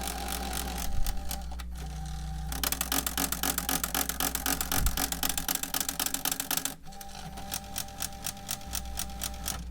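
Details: Panasonic AG-DV2500 MiniDV/DVCAM pro VCR, bought used, with a badly damaged tape loading mechanism that won't take an inserted tape even when pushed: rapid clicking, about four a second, over a motor whir.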